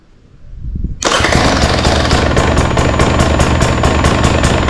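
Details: 2024 Husqvarna 300 TE two-stroke after fitting an extended fuel pickup tube to the OEM pump: quiet, then fires at one second and settles into a loud, crackly idle with a steady pulse. Normal idle.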